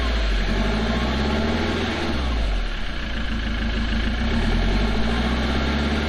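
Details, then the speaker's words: 2007 Ford Transit MK7 LWB diesel idling with rear silencer removed during exhaust replacement; even low steady drone, no blowing or rattling, little audible difference from stock. "Is anyone else curious what this sounds like with the exhaust off? Let's find out."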